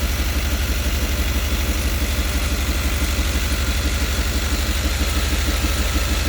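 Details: 5.7-litre TBI V8 idling louder than normal, a steady low rumble with rapid puffing pulses from an exhaust leak somewhere in the engine compartment, interior engine cover removed.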